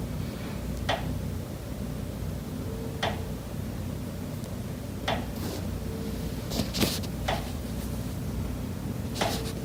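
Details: Condo unit, September: sharp, isolated knocks every second or two over a low room hum. Pipes behind the kitchen wall knock constantly day and night, audible through the kitchen and living area; cause unknown.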